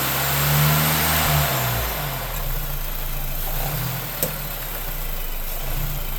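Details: 2024 Lincoln Corsair, brand-new 2.0L EcoBoost I-4 under 300 miles, light acceleration/deceleration: low engine hum with a brief rattle coming and going and one sharp pop; owner asks whether it could be a variable intake manifold or an actuator, cause unknown.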